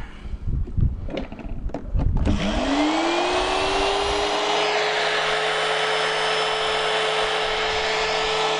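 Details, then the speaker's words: Hoover Junior U1104 vacuum motor being refurbished, run on the bench without being held down: knocks, then a rising whine settling into a steady howl with faint uneven roughness; rough-running motor, cause unconfirmed. "oh that doesn't sound good because that's not holding it in place right"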